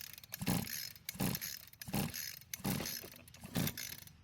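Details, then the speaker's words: String trimmer with about 3 years of residential use, compression tester in spark plug hole, rope pulled several times; firm even compression thumps about every three-quarters second, no hiss or slap; reading well over 170 psi, engine extremely healthy. "So the reading is well over 170 psi. This has to be the highest reading I've ever gotten out of a trimmer before. That means that this engine is extremely healthy"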